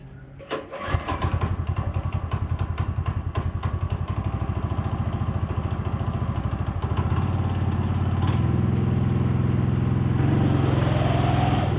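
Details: Small engine in a TugBuggy utility buggy, with new chain tensioner, just refueled: catches on the first pull and settles into a fast, even putter with steady exhaust pulses, no misses or bogging; normal healthy start.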